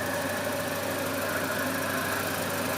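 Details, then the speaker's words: Volvo 240 first start after months off road with new water pump, timing belt, B cam, shims, ECU: steady warm idle with faint fast tick and thin whistle; owner suspects exhaust leak, maybe fan. "I definitely have an exhaust leak somewhere. I can hear it, but it's doing this little wee thing."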